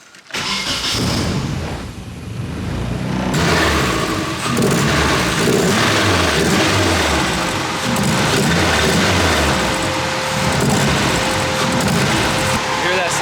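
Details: Nissan-Honda swap JDM truck running 100% ethanol, fuel system cleaned, new coils, distributor tested good; fires and pulls but note stutters irregularly as load comes on: hesitation under load, cause unknown.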